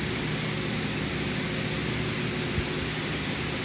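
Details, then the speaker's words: Long-sitting engine at normal temperature after compression restored from 60/30/20/60 to about 155-160 psi by oiling stuck rings: steady, even, smooth idle with no misses, knocks or ticks; running healthy. "Just gonna say real quick that this engine right here is running good. Everything's working on it."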